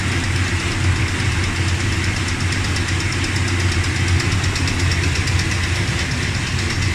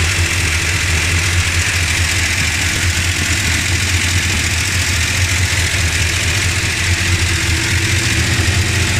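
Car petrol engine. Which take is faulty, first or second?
second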